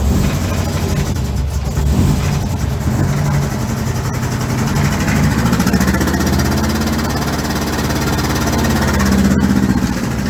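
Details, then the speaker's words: 1962 Land Rover Series 2a 109 under rebuild, running with no air filter after the fuel pump was primed. Loud, lumpy idle with an irregular beat and wandering speed. Rough running; the owner suspects mistimed ignition, possibly the vacuum advance or the missing air filter, but it is unconfirmed. "When it sounds as rough as that, but it could be a number of things."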